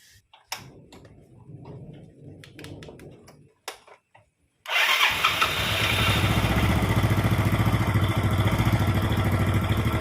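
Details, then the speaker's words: Yamaha Mio Sporty after valve replacement and lapping for lost compression: a few clicks, then starts at once into a steady idle; sound slightly rough as engine oil had dropped by half. "okay on double start, it's very easy to start"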